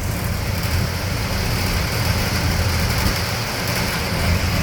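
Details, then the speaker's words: Air-conditioning or parkade fan unit giving a steady low droning rumble with a coarse shaking rattle that never lets up, running for hours overnight; a second nearby unit does the same, and the fan is vibrating loose. "do you hear the rattling that rattling noise so that's just the one the other one up on the corner down the end but that rattling shaking noise that vibration noise at this the other one does it too"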